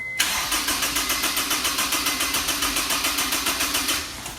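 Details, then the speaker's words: Honda S2000 after frankenstein engine swap, first test start: steady starter cranking about three and a half pulses a second, never catches; fuel probably not through yet, may need priming/bleeding; later no fuel from injectors. "fuel probably hasn't even went through yet turn it on and off a couple times may have to bleed it"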